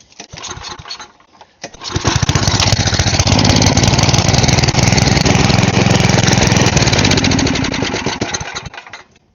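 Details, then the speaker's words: Side-shaft small go-kart engine, spark plug ruled out: fires up with a ragged, uneven beat and surging speed; owner suspects a clogged carb passage still needs clearing. "Alright, so it might still need something else cleared out in there."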